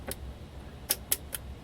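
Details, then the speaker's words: Hallicrafters S-40B receiver, sold as working, brought up on reduced mains (about 100 V) with the rectifier near 350 V. Only faint scattered speaker crackles are heard, with almost no audio output. "And I'm not even hearing crackling from the speaker. Yeah, there's a little bit."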